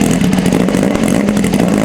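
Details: 2025 Honda CBR1000RR-R Fireblade SP with full exhaust, cold start before re-flash: lumpy, uneven idle stumbling and surging, attributed to a bad engine-control map; check engine light was on.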